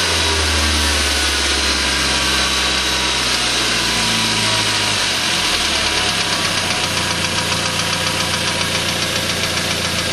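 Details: Suzuki Aerio running with a hard, regular knock at a few beats per second: rod knock from a spun bearing; engine later replaced under warranty.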